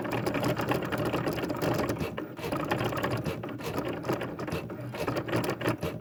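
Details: Sewing machine running with a fast, harsh, gear-like ratcheting clatter on each stitch cycle over the motor; loud mechanical noise, cause not identified.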